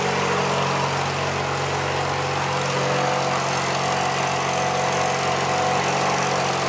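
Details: Alfa Romeo after replacing the broken coolant hose from the reservoir tank: steady, slightly raised cold idle with an even hum, no knocks or squeals; normal cold-start idle, watching the heat gauge.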